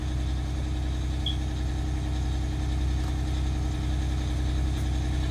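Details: 1989 Grand Villa with a two-stroke Detroit diesel, just started after sitting, one battery dead, charging beginning: deep steady low drone at about 3-4 pulses a second, no knocks or rattles, not loud inside; normal idle.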